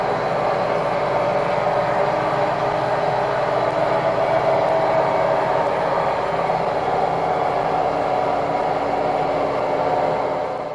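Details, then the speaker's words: Samsung front-load washing machine bought in 2011, recorded during a wash: loud, steady train-like roar during spin; the drum bearings are going out and need replacing. "so if that's the sound your front end loader washing machine is making then then your bearings are going out"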